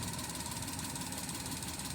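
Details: Maruti Suzuki Alto 800 in neutral, no check-engine light or stored codes: short quiet idle with an uneven stumbling beat under the engine note; idle misfire traced to a cracked ignition coil.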